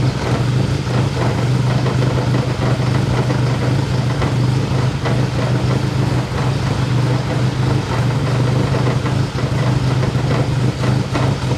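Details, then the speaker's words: K24-swapped E30 first start: uneven, shaky idle with irregular stumbles about three a second over a low drone, sounding like a misfire; cause unconfirmed, owner plans to replace the injectors; rough idle. "Idling, again, not very well. You can hear, kind of sounds like a misfire. The engine is for sure a little bit shaky, but it is running."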